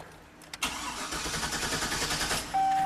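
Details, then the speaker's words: GMC Sierra work truck with 8 coils, crank-no-start with no trouble codes; usually fires then stalls; parasitic draw reported; steady starter churn with even compression pulses, never catching; spark check with test light next. "a crank no start. Well, what's the first thing to check here? No trouble codes, right?"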